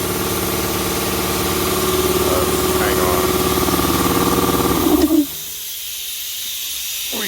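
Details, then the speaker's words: Puma 60-gallon 5 hp air compressor starting up after install: motor drones with a steady hiss over it until cut off; air leaking from the tank bottom drain valve left open after draining, then closed. "gotta close the valve on the bottom. There we go. I had it open because I drained it."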